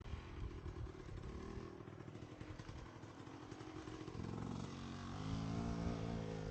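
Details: Pit bike (pit360) with Lectron carburetor lugging at low revs: hollow clattering knock about four per second over the low engine note; severe piston slap from a worn piston, tends to run lean when warm.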